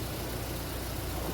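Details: 2010 VW Fox 1.0 VHT, EA-111 engine, which stumbles on first start each morning and after sitting: a steady, even low idle with no misses, knocks or ticks, recorded while the running engine was checked with an exhaust pressure transducer.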